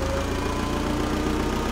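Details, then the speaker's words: Vintage Allis Chalmers FP-40 forklift after fuel system overhaul, first run in months, idle raised: low idle with a faint wheezing hum; engine labouring against a loaded hydraulic pump, with the tire turned. "that's a little better it sounds like my hydraulic pump is forcing a bit"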